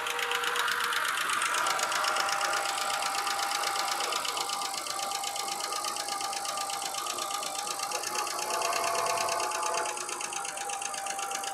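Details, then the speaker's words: BMW straight-six petrol (E91 325i/330i or 530i, manual) idling after sitting on a driveway about a year, coolant warning showing: light quick ticking at two or three clicks a second over soft idle; owner blames lifter, needs motorway drive. "you can hear there's a lifter ticking noise there. That's because the car has just basically been sat on the driveway for the last year. It just needs a drive on the motorway."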